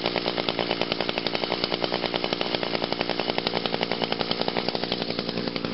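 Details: 2002 Echo SRM 2400SB two-stroke trimmer on a cold start, with choke on and five primes; it took a few more pulls than expected. A high, buzzy, steady note with a crisp, even firing rhythm and no misses means normal running.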